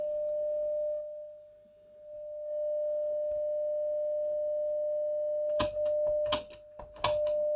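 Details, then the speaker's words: Telefunken Opus 8 tube radio, signal-generator tone fed into the gramophone/pickup input: clean steady mid-pitched tone dipping and returning with the volume control, with tone-switch clicks; audio amplifier stage (EL84 output) working fine. "trying the those tone select switches volume controls working okay so the audio amp is working okay"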